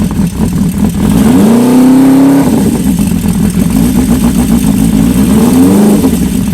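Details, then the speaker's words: Old Honda four-cylinder bike (CB550 or CB400F) after resetting the cam chain tensioner and syncing carbs: blips up twice and drops back to idle, exhaust rising and falling evenly, no knock or rattle; running normally. "Alright, reset the timing chain tensioner and sync the carbs up. Just let the float bowls fill up the fuel and see what she sounds like."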